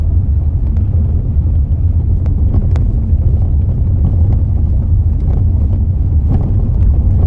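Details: Mazda 6 driving with sharp, irregular knocking and squeaking over heavy road rumble from a worn front strut top mount bearing; reported to dealer for warranty fix.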